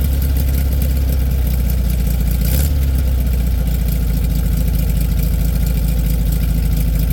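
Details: 1967 VW Beetle air-cooled flat-four idling after a cold start in about 8°F, battery a little low: deep, steady drone with even firing rhythm, no misses or rattles; good normal cold idle, possible generator problem noted.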